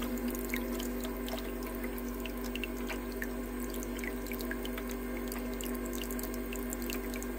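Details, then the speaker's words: Ice maker after repair attempt: steady pump hum with continuous, unbroken trickling and dripping water over the tray; pump circulating properly, normal. "See, now it pumps better. Now I can see the water is running properly."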